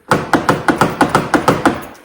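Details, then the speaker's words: Rear passenger door lock actuator on a 2013 Ford F-150 crew cab, heard inside the door on unlock: about nine sharp clicks at roughly five per second; the actuator keeps firing but the latch linkage hangs up, an intermittent problem since new. "sometimes when you hit the unlock button right you can hear things happening in there you can hear the actuator"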